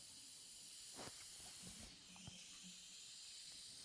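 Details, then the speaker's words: Combi-boiler heating, towel radiator warm at the bottom and cold at the top: steady, soft hiss of trapped air escaping as the bleed screw is turned anti-clockwise. "And that screw, just fit the screwdriver in there, turn it anti-clockwise, and you'll hear the air come out. Can you hear the air coming out?"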